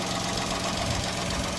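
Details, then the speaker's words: Cheap repo car after fitting a new aftermarket catalytic converter that didn't seal well, so gum paste was applied and the exhaust refitted; steady even idle with smooth exhaust note, no puffing or ticking at the joints; exhaust sounds sealed and healthy. "and now it seems to be running sweet as"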